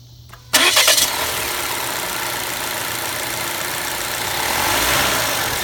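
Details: Volvo XC60 T5 2.0L after replacing the valve cover with its integrated PCV oil trap, blamed for a resonant noise: engine cranks briefly, catches in about half a second and settles to a steady, even idle with no hiss or whistle.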